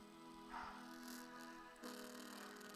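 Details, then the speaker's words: JBL Go 2 Bluetooth speaker playing a song with a rough, buzzy crackle on the notes; the crackling comes from the speaker driver itself, fixed with double-sided tape. "So ano ba yung basag na tunog? Crackling sounds ba parang ganon."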